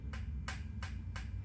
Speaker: 30-y old brake pads dry out and get rock hard and no longer work as brakes. They will make a nice clicking noise.